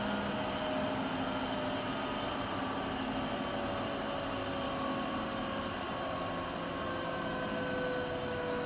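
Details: Siemens iQ300 washing machine (labelled WG41A1X1TR 9 kg 1000 rpm, also described as 10 kg 1200 rpm) at top spin speed, reached mid-way through the 13-minute program, about 72 dB. Even hum with a faint steady whine, no knocking or scraping: normal spin.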